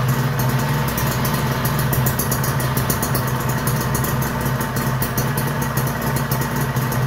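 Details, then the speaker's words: Kawasaki Ninja two-stroke after engine rebuild: quiet, smooth steady idle with a constant whine riding on top from primary/secondary gears, judged harmless to performance and engine. "kecuali yang bunyi ngiung itu ya itu masalah primer sekundernya aja kalau ditanya gak apa-apa Bang ngiung begitu engak apa-apa gak bikin ngubah ke performa gak bikin rusak mesin ya cuman ngiung aja ya"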